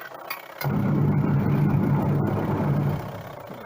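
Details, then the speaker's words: Leaking washing machine whose motor jumped and slipped, tested after replacing the worn part and tightening the bolt. Motor kicks in with a steady low hum, holds an even spin, then eases off; runs normally after repair. "කරනවා. පේන විදිහට වැඩ කරනවා."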